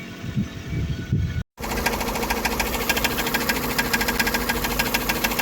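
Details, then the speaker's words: Car idling after a CVT/gearbox replacement: metallic tapping about twice a second, like something striking metal. Owner says it is not the crankshaft and suspects the gearbox; unconfirmed. "Це щось таке [ __ ] типа по металу щось б'є"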